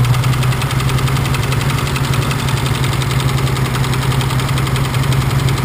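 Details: BMW engine at idle with a regular metallic knock tapping over a steady idle, still present with cylinder 1 cut out during a cylinder-by-cylinder test; knocking cylinder not yet found. Engine knock at idle.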